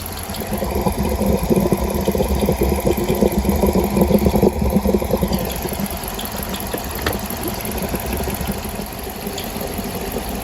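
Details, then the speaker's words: Chrysler 300C 5.7 Hemi after a head gasket repair, idling while the cooling system is bled and the reservoir bubbles a lot: an uneven idle with irregular loud, firework-like pops and knocks. Cause unknown; owner fears a head is bad. "it almost sounded like a firework going off it was popping really loud I hope one of these head guys is doing bad it's literally like popping"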